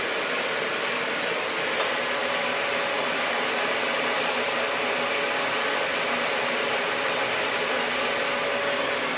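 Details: Dyson DC40 upright vacuum, salvaged from a skip after sitting outside (possible moisture), first power-up: steady, even whir with a high airy rush, no rattles, surging or choking; brushes rotate when tilted, motor running normally.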